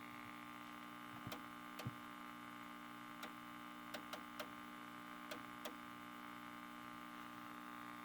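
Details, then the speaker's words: Kerenola Trav-Ler AM tube radio, before replacing filter capacitors: steady low buzzy hum with faint clicks; scope shows sawtooth on both cathodes with 60 Hz mains hum present. "we got a great sawtooth on both cathodes but we got 60 hertz home in there"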